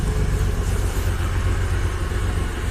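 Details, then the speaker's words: Audi 100 C4 2.8 petrol six-cylinder with 4th-gen LPG, said recently rebuilt and still running in: deep, lumpy, stumbling idle; the engine misfires badly, lacks power and stalls while driving. "не заводиться чуємо як робить [оплески] ну двигун працює як Запорожця"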